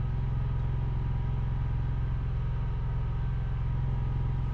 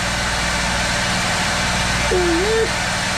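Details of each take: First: Portable generator beside an RV trailer, no load, heard from the front bedroom: low, smooth, even hum with no surging or hunting, faint through the trailer wall; idling normally. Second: Built-in Onan RV generator as microwave and blow dryer loads switch on; flat constant low drone never rises or dips, fixed speed, while power output turns erratic, dirty power.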